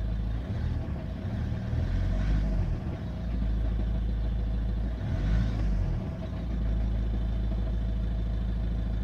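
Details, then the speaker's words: Volvo V70 2.0 diesel at idle: the whole engine shakes with a deep, uneven knocking rattle that swells when the revs briefly rise, from a failed dual-mass flywheel. "Cała o to drży. Słychać, jak dwumasa puka."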